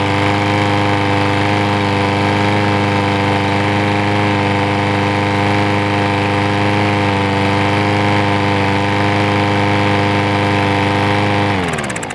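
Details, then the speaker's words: Troy-Bilt single-cylinder push mower that wouldn't start when acquired (bad carburetor), cleaned and just used on thick grass, air filter off: steady, even full-throttle pitch with no misses or surging, clean wind-down at shutoff; normal running. "So it's running really good right now."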